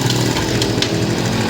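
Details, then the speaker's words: 2007 Honda CD motorcycle after a full engine rebuild with the main cushion gear replaced, tappets set to normal clearance to avoid overheating. Steady idle with a light, fast tappet tick on top; otherwise the engine is healthy. "क्योंकि अभी थोड़ा जो आवाज़ ये आ रहा है ये taper delay है, क्योंकि हमने इंजन इसका जो है मुकम्मल खोल के दोबारा फिट किया है।"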